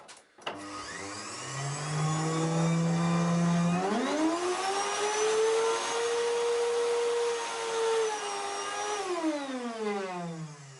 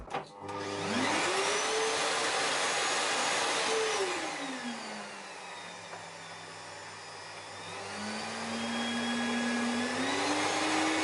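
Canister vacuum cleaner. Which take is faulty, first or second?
first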